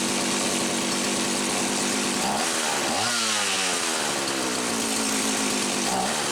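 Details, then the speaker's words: Homelite 360 chainsaw, after repair on the bench: a misaligned carburetor (intake) bushing had let air in, interrupting fuel flow and causing inconsistent running. Mixture about 1¼ turns. Steady crisp two-stroke buzz that revs up cleanly and settles back without stumbling; normal running. "so with it installed all right you know I'll let it sit I'll give it another cold start but I think this one's good to go"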